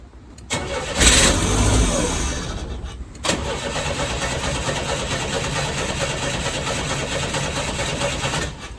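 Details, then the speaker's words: 1986 Chevy S10 Blazer, 4-cylinder throttle-body injection, 4-speed: engine catches briefly, sags, then cranks and stumbles without idling; pump runs but no fuel at throttle body; earlier starts were on carb cleaner; owner suspects the injector. "The tiny starts I had before was from hitting it with carb clean. So I think the injector is my problem,"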